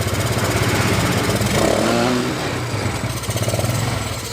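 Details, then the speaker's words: Yamaha Mio Sporty scooter after repairing the ignition key switch socket wire that caused total electrical failure, fed from a makeshift bottle tank; small engine puttering steadily with busy, slightly uneven beat and light revving, running fine. Normal running. "Mari kita coba hidupkan kita sudah bisa hidup ya teman-teman ya di kontaknya ya"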